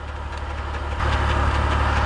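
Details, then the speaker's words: BMW E46 with ZF 5HP19 automatic, idling after a pressure regulator upgrade and fluid refill. A faint repeating scrape rides on the engine note; owner says an aftermarket transmission oil pump and aftermarket torque converter lightly scrape each other. "By the way, if anybody's wondering about what this noise is that you're hearing, this sort of repetitive noise, it's because I have an aftermarket um oil pump on this transmission that I that I installed and an aftermarket torque converter, and they're sort of scraping against one another ligh"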